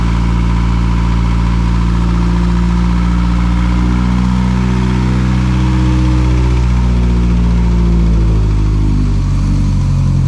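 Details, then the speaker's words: Rebuilt 800 WHP Mitsubishi Evo X four-cylinder, first start after the build, with 21 psi oil pressure, not yet at operating temperature: a quiet, smooth, even hum with no ticking or knocking that rises cleanly near the end. Normal idle. "This car is very, very quiet. This thing is so quiet."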